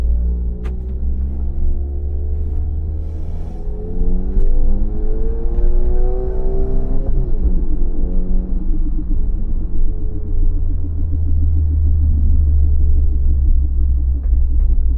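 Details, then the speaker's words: 2018 Audi S3 driving: a deep rear drone that swells with speed. Owner suspects a rear wheel bearing but fears it is the centre driveshaft bearing; cause not confirmed. "My biggest fear is that it's the center and not the rear wheel bearing."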